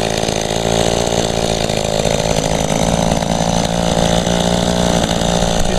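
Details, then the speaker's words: Echo two-stroke, barely used and started for the first time in about a year with little fuel in the tank: a rough, uneven, boggy drone sags and stumbles; it is starving as the tank runs nearly empty, and a clogged spark arrestor screen seemed possible but unlikely. "it almost it's acting like it's going to run out of gas yeah she's very boggy though it's just because it's not much [Applause] gas"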